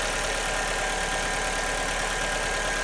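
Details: 2002 Alfa Romeo 147 2.0 Twin Spark, after replacing an internally intermittent ignition coil (valves passed compression test): smooth, steady idle with an even hum and no stumbles, "purring like a kitten"; misfire fixed, normal idle.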